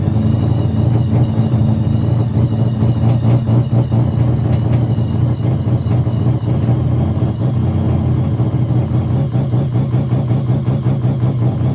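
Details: Mazda RX7 bridgeport 13B rotary on fresh EFI conversion, borrowed Microtech ECU, untuned map meant for 1000cc injectors on 700s: loud choppy idle with uneven popping beat and small surges; runs rough, still needs a tune.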